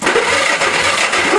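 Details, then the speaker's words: Old go-kart engine spark test with two loose spark plugs on the leads: brief even cranking with no firing at all; no spark, owner suspects dirty ignition points needing sanding. "no luck well if you look inside this air scoop i believe that's where the points and condensers well i mean the points are the condensers are at the back so i'll have to take that cover off and the air scoop too and do my typical point sanding and seeding technique that's probably all it needs"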